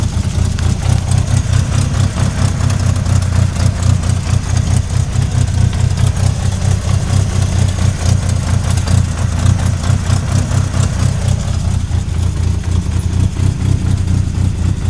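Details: 1998 Mitsubishi Eclipse RS idling: deep rumble with an uneven knocking running through it; owner thinks it comes from the transmission; cause unknown.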